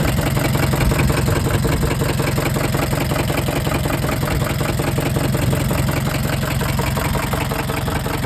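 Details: Scion tC that hadn't run in a month, after a starter replacement, restarted with extra oil, idling rough with a hard, deep, steady knock in time with the engine; rod knock, engine judged done for.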